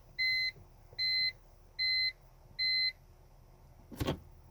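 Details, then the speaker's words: BMW with SMG gearbox, after throttle position sensor replacement: four even high-pitched beeps under a second apart, reverse indicator flashing because hood was left open; hood-open warning, car won't engage gear until closed. "when it flashes like that you know just double check your hood make sure that it's closed sometimes the sensors go bad on the hood so you can look into that too"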